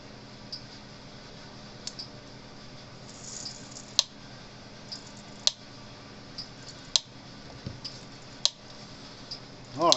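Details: Cyclops Master electric fence charger, turned on in a quiet room: sharp snapping click about every one and a half seconds, evenly spaced; charger pulsing as it should.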